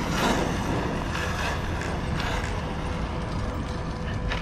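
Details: Arrma Kraton EXB RC truck on third run bashing, clicking started; sharp scattered clicks over gritty gear whir, owner unsure whether internals grinding or new rear diffs.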